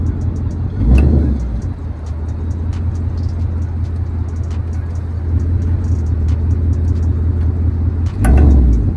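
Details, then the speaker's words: 2024 Ford Mustang GT, about 3k miles, driving; light sharp irregular clicks, a few per second, over road rumble from passenger rear hub area; owner suspects thrust washer/axle nut or wheel bearing, unconfirmed. "the other issue was I'm getting a clicking sound in the passenger rear kind of hub area."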